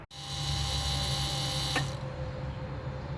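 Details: 1999 Lexus GS 300 after brake booster master cylinder assembly replacement, ABS programming stage: low electric pump hum with fine buzz runs about two seconds then clicks off; booster pump cycling normally.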